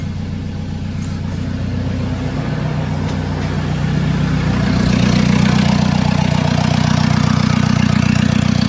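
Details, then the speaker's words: 2013 Ford Ranger diesel that starts then stalls, run after new glow plugs with EGR top removed: loud chuffing with harsh blowing rush; serious pressure escaping from stuck-open EGR valve, exhaust possibly blocked too. "What I can see here, very noisy, but there's serious pressure coming out of the EGR valve. The EGR valve is going to be stuck open, but we have an exhaust or something blocked as well, alright?"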